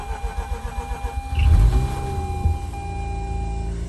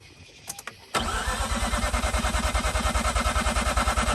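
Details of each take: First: 2004 Mazda RX8 manual, unstarted for two years, after sitting overnight: rapid cranking about a second and a half, catches at once with no throttle and settles to steady even idle; owner thinks it relearned fuel trims. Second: 2004 Mazda RX-8 manual, unstarted for 2 years, cranked with a 200 A battery boost. Steady cranking at about three pulses per second for seven seconds with no firing; the flooded rotary won't start. The belt shredded during cranking.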